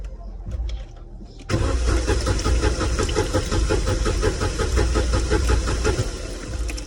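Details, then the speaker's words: Corsa B 1.0 16-valve gasoline: steady cranking about 170 rpm for over five seconds, no firing despite pressure present; faulty fuel pump relay limiting pump current, pump works wired direct at 3 bar. "não pega mas tem pressão ó o problema essa pecinha aqui onde tava a bomba"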